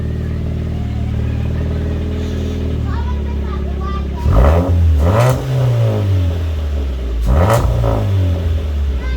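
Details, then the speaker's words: Ford Fiesta after exhaust leak repaired at home: steady deep idle with two clean throttle blips rising and falling smoothly, no blowing or puffing; sounds much better, leak fixed. "oh that sounds a whole lot better now that sounds way better I like that [Music] and it's nice to not hear blowing and silly farty sounds"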